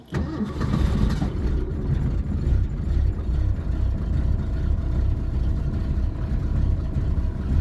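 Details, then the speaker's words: Classic Ford at -30 degrees: a brief cranking burst catches almost at once into a steady, deep, slightly uneven run, hard cold start. "See, minus 30, and that's all it took to really start her. Although she might stall, but oh yeah, she stalled."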